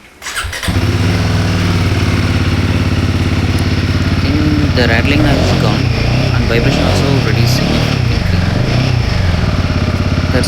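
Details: Royal Enfield Himalayan 450 after fixing a top rack rattle with a rubber cushion between rack and frame: bike fires up and settles into a steady thumping run with a few aggressive throttle blips, no metallic rattle from the rack; normal engine revving.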